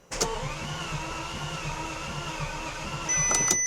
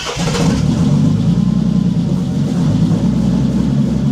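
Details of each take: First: Bentley Continental GT during engine swap, in park with brake applied and fuel relays removed: steady even starter cranking, regular rhythm, no clunks or grinding, engine spins freely without firing; normal cranking without fuel. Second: Bentley Continental GT after months sitting abandoned, no oil/brake pressure warnings and many ECU lights: fires up and runs rough, uneven low rumble without clean rhythm, missing on some cylinders; misfire suspected, spark plugs not replaced.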